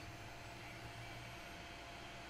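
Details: Vintage PC with Gigabyte M55S-DS2 board, Athlon 64 X2 3600+, 8500 GT GPU, 400 W power supply, at power-on: quiet steady fan hum with no rubbing, clicking or surging; fans healthy.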